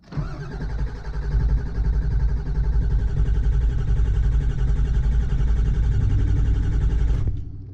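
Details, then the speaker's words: Ford Powerstroke diesel truck, starter two to three months old, batteries two years old: steady, even cranking about seven seconds, never catches; low fuel light comes on while cranking though fuel bowl is full; owner suspects electrical fault. "now you see when I try to crank it the low fuel light comes back on but there is fuel in the fuel bowl I just checked that"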